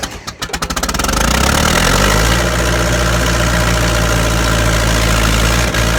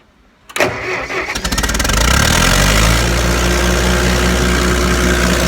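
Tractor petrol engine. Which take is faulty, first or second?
first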